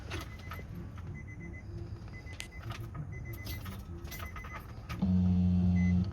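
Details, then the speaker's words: 2006 Nissan Murano no-start after fuel pump replacement: at key-on a soft steady low hum for about a second over chime beeps as the new fuel pump primes normally; engine then starts. "se ve en particular al pequeño ruido no sabe no sé si lo logra escuchar ahí está activando la bomba"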